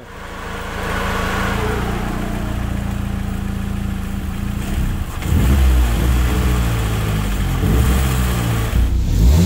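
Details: Car running on CNG and petrol/ethanol: engine runs evenly, then turns lumpy and stumbles as if about to die; hesitation traced to exposed parts near the engine getting heat and melting.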